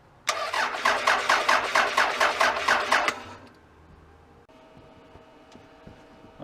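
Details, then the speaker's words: 1999 Toyota Solara that sat long enough to grow moss, intake sprayed: about three seconds of even starter cranking, roughly two turns a second, never catching; owner suspects missing ignition. "she didn't go you got to wonder i mean what else could be missing we may not have ignition on the motor side here"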